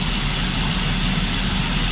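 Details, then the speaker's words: 2005 Ford Escape 3.0 V6, misfire at rear cylinder bank under intake manifold with no misfire codes: low, uneven idle with occasional stumble while swapping coils to isolate; misfire traced to failing ignition coil. "this was reacting now this one actually is only reacting somewhat so the major misfire is done which is this one let's start replacing this one also see what happened like I said coils are common on these bad plug too sparking"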